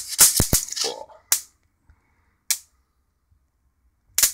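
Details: Mitsubishi Diamond Plus 93 SB CRT monitor, flyback with built-in capacitor tested in circuit after a reset. Sharp, irregular snapping cracks about every second, a plasma-like sound from an arc of about 25–30 mm. The flyback is putting out properly.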